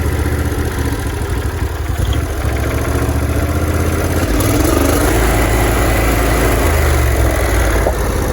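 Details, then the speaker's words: John Deere LT166 mower with 16 hp Briggs & Stratton V-twin, carburetor found unclogged, running only on the fuel left in the bowl: a low, even idle with a steady V-twin purr and no misses or knocks. "See how low it will idle. Oh, that's a beautiful sound. V-twin purr."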